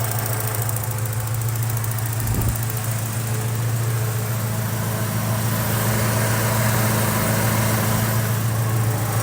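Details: 1986 Porsche 944 Turbo, 2.5-litre turbocharged engine rated at 217 hp, about 125,900 miles, recorded close to the engine with the hood open: a smooth, even low hum at steady idle with no knocks, misses or hunting, a healthy warm engine.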